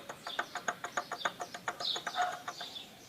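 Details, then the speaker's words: Honda CG 125 2003 engine opened up: loose, uneven clacking about three a second as the connecting rod is rocked by hand, showing very large big-end play; piston skirt scored from slapping, rod must be replaced. "para você ver a folga que tá ó uma folga muito grande ó acho Dá para vocês ver aí o barulho mais ou menos aí"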